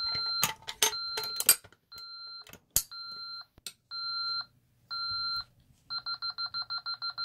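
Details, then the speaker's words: SafeWatch Pro 3000EN alarm panel armed stay with zones bypassed and a telco fault. A pull station simulating a burglary zone was tripped, giving a few knocks, then half-second entry-delay beeps that speed into quick steady chirps warning to disarm before the alarm sounds. "it's basically saying, hey, you better come now and disarm this or I'm going to go into alarm and you're going to be mad."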